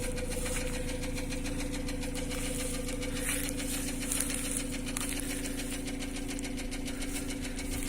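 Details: Nissan Almera N16, an intact car, at an even idle. A faint, light tick rides on the hum a couple of times per second; valve knock is suspected but the source is unconfirmed.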